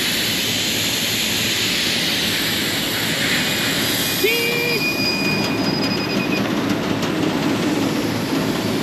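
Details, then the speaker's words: AC unit, stage 1 on low-pressure lockout: constant high-pitched hiss audible over running noise without letting up; refrigerant leaking from condenser coil, coil needs replacement. "Hopefully that was just a flaw. Oh no, it's not. Not even sure I need the leak detector. I can hear it."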